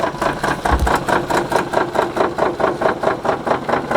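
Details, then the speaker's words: Cheap rally car with a suspected broken transmission, on a rough dirt road: uneven rhythmic thumping at about two beats per second over the running engine. Drivetrain fault suspected, source unconfirmed. "like this is the sound it's making right now like that's the transmission i guess like yeah it's it's definitely broken like i've never heard a transmission make that sound before but it's making it"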